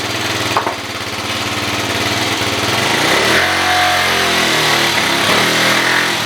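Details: 2013 Kawasaki KFX 50 quad being tuned after tightening a loose part: small engine buzzing and revving up and down, beat uneven and unsteady at speed; still running rough.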